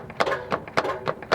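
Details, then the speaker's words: 2004 Toyota Sienna, 275,000 miles, clunking complaint, wheel wiggled while listening underneath: sharp hollow clunks about three per second; rear transmission mount cracked and worn to bare metal. "i can see the transmission mount on the back is worn that's what's cracked the hardest one to get to of course you can really hear it she's gonna be wiggling the tire"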